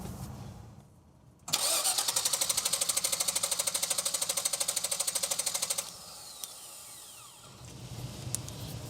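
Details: 2000 GMC Savana 5.7 small-block school bus with an intermittent no-start and weak spark found: fast, steady cranking chatter for about four seconds with no firing; cranks but won't start from lack of fuel pressure.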